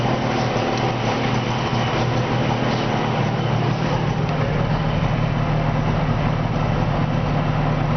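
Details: 1970 Subaru 350 Young after its second rebuild gives a smooth, even two-cylinder idle with a steady low beat and no knocks or rattles; the earlier strange noise was traced to a loose pulley; normal idle.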